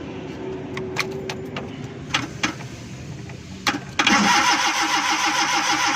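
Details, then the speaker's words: Suzuki Ravi (Bolan) van on CNG with low petrol, morning starting problem: gas kit fed direct current, then steady starter churning that never catches; cranks but won't start, and the spark plug is found to be getting no current. "लेकिन हमारी गाड़ी फिर भी नहीं स्टार्ट हो रही।"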